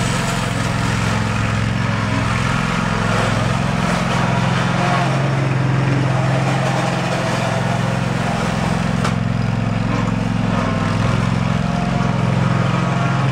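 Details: Field-find riding lawn mower on a drive test, before service and oil change, throttle all the way up: small single-cylinder engine runs a steady, even low drone while driving under load; healthy and strong.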